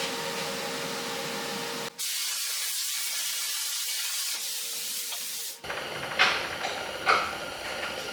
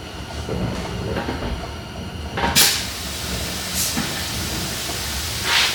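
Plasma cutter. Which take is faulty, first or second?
second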